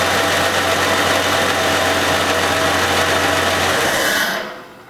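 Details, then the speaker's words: 1990 Jeep Cherokee XJ after hand-priming oil to the top end, oil pump suspected bad: runs evenly but not great, faint steady whine from the front of the engine, owner suspects a pulley bearing; injectors leaking fuel onto the exhaust. "so it doesn't sound great and there's still a little bit of a whine from the front it sounds like maybe it could be one of the bearings on one of the pulley"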